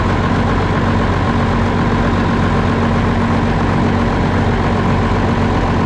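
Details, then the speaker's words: Concrete pump diesel engine, cold, with air getting into the fuel system, after replacing the old lift pump: steady even low-rumble idle with no hunting or surging; normal idle, owner suspects the old lift pump sucked air. "way better way better way better all right well I think that might have done it I don't know if that lift pump was somehow sucking air in"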